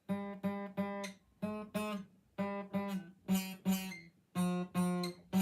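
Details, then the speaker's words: Taylor acoustic guitar restrung from 11 to 10 gauge strings: G string buzzes only at the second fret, note rattly and fuzzy instead of ringing; shop suggested the nut slot is too wide for the thinner string. Fret buzz on one string. "Whenever you go to play like a D chord or A chord or anything that has to do with that G string right there, it sounds horrible."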